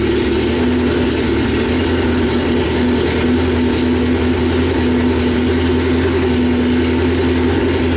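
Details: 1995 Honda Civic on E85, idling after a new AEM E85 flex fuel in-tank pump and fuel filter install: smooth, even idle with a steady hum, no stumbling or surging throughout. Sounds healthy.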